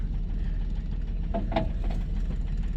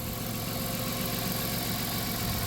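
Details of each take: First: 1997 Dodge Caravan LE at a steady idle, with a dull low thud about three times a second under the running note; a bottom-end knock that the owner thinks sounds like it comes from the lower end. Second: 1997 Dodge Caravan LE, 239,722 miles, after replacing coil pack with junkyard unit and donor wire harness: steady, even idle with smooth low hum, all six cylinders firing, engine idling normally; sat a week, warming up.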